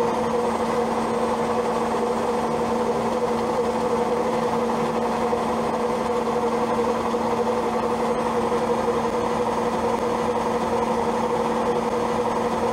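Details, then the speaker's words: Old Zanussi automatic washing machine during spin: steady low hum with a buzzing vibration, machine visibly shaking and moving; cause unknown, owner plans to call a repairman. "Что-то гудит. Сейчас идет отжим. Просто интересно, что ж такое машинка? Вот вибрация, видно, как движется даже."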